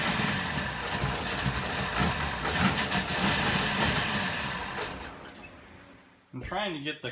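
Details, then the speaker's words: 1960 Pontiac Ventura barn find with Tri-Power carburetors, after a dwell change, distributor turned from about 6 to 32–34 degrees timing: uneven cranking bursts with an odd cough, never catching; cranks but won't start, electrical fault suspected. "so I've been going back and forth to extremes and I cannot find a sweet spot to get the car to run"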